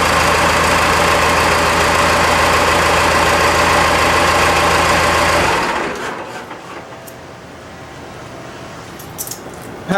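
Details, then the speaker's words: Ford F-150 with Cummins 6BT diesel swap, after fuel system work (front tank updated, fuel return line, new gaskets and hoses, no leaks yet), restarted not yet warm: steady, even idle with smooth beat, no misses or knocks, then clean shutoff; healthy engine. "let's check a restart i haven't really given it any time but let's just let's just try it out it's a happy motor"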